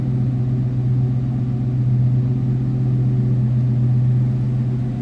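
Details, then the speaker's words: 1990 Chevrolet K5 Blazer Silverado 4x4, 350 (5.7 L) V8 with Flowmaster exhaust, heard at idle from the rear: deep, even low rumble with steady beat, no knocks or misses; normal idle. "Slip around to the back so you can hear this run. Nice little rumble coming out of that 350."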